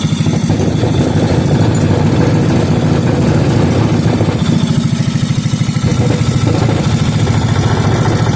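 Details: Rebuilt 5hp Briggs and Stratton single-cylinder engine, restored from an incomplete engine, running after burning off penetrating oil and two-stroke fuel: loud, even chugging at steady speed, no knocks or misses; runs smoothly and healthy.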